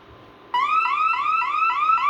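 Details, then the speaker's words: Bosch/Radionics 4012/8012 security demo system: exit delay expired, front motion sensor tripped, loud warbling siren sweeping about three times a second, repeating steadily. Burglar alarm siren. "So, the delay has expired. So, we'll go ahead and trip the front motion sensor"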